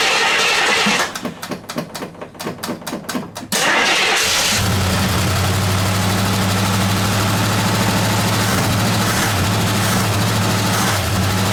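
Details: 1969 AMC Javelin, 290 V8 with old fuel and a carburetor accelerator-pump fuel leak: cranks, catches and settles into a rough, uneven, stumbling idle; misfire from loose spark plugs.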